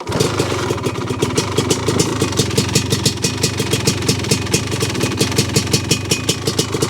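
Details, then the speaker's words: 1985 Honda ATC 250R two-stroke three-wheeler that the owner reported as noisy, at idle: rattly clatter on each firing pulse. A possible lower-end noise, hard to separate from normal two-stroke chatter. Suspected lower-end knock, before teardown. "But I do hear a noise, a little lower end noise, I think. That shouldn't be there."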